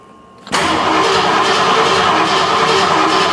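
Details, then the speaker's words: 39-year-old Ford F150 with a crank-no-start: steady starter cranking for three seconds with no firing while a noid light on the injector never flickers. No injector pulse; next step is checking for power at the injector. "all right so no injector pulse because the Noid light is not flickering so now what do we do what's next the Noid light is not flickering"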